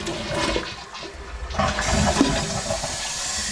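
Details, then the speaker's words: Toilet fill valve after a flush: loud steady hissing rush of water throughout the refill, noisy fill pointing to a worn diaphragm valve seal; being replaced with a Fluidmaster 242 valve seal. "Okay, you hear how noisy that is? Since I've already flushed this out a few times over the last few years, I'm going to change out the valve seal inside here, okay?"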